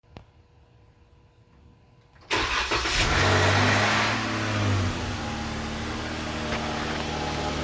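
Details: 3.6 Pentastar petrol V6 cold start with the drive belt removed: it cranks, catches, flares to a fast idle, then settles with a light hollow knock underneath, suspected piston slap, not confirmed.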